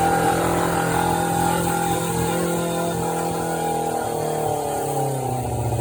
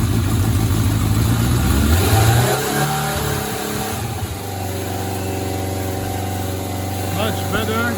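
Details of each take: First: 1993 Suzuki GSX600F, carburetor problem, started on a jump starter after reassembly: fast, uneven idle hanging too high, then sagging lower. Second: 1993 Suzuki GSX600F four-cylinder, carburetor problem solved, started on a booster: catches, revs up in a couple of blips, then settles to a stable, even idle; running clean.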